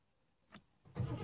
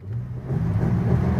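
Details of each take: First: Rover P6 with an intermittent no-start; the owner suspects dodgy wiring to the starter. Silence, a faint click, then the starter cranks in late: delayed starter cranking, cause not confirmed. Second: 1973 Rover P6 3.5 V8 held at high revs: strong, steady, smooth roar with no knocks or misses, revving hard before settling; healthy engine.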